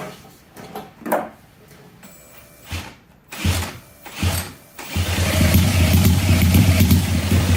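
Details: 1968 Honda CL175 with supercharged EFI on E85: failed drill-cranking bursts, then a lumpy, uneven low thrum on one cylinder; right exhaust cold and right plug dry despite good spark, injector stuck closed.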